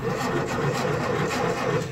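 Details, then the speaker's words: Ford-built M151A2 military jeep, 141.5 cubic inch engine, stored 20 years, first crank on the start button; slow laboring crank with soft uneven chugs, no firing; weak cranking, starter works, spark not yet checked. "Don't sound real strong. I'll tell you what, now that we know the starter works, let's go out here and let's just see if we're getting spark before we go any further."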